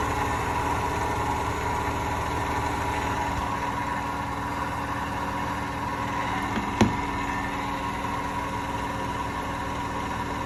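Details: Hotpoint washing machine spinning up to 1200 rpm: steady deep rumbling roar builds as the drum accelerates, no knocks, from worn drum bearings.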